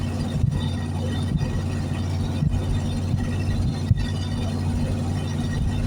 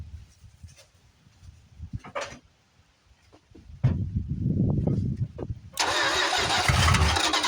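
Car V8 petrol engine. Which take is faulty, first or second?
second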